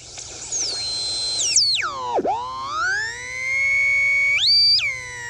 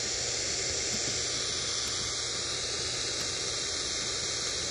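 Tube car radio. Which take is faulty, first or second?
second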